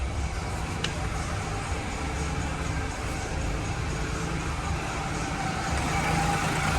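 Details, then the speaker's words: Ford Ka 1.0 three-cylinder that arrived with oil light on and engine noise, after repair without engine replacement, started at the shop; even, steady idle, no knocking or ticking, no oil light; noise gone, normal idle. "acabou o barulho no motor aí ó motor redondinho bonitinho"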